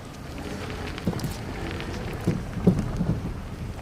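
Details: Kia Rio (JB) driving: dull low irregular thuds, three or four in a few seconds, over road rumble; suspension knock, suspected stabilizer bar bushings and control arms, not confirmed.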